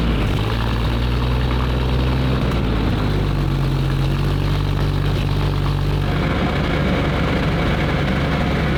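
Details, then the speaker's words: Soviet-bloc military vehicle with six-cylinder petrol engine, a copy of an old Chevrolet truck motor, started before a display event; deep even rumble with steady firing beat, no knocks or misses; normal running. "sounds good."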